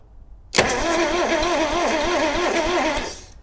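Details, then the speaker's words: Subaru Sambar kei van engine, sitting 25+ years, cranks far too slowly with a labouring starter and an uneven chug of three or four beats a second, left in gear; it does not start. "Oh, well, that's a start. It's uh it's turning over very slowly, though."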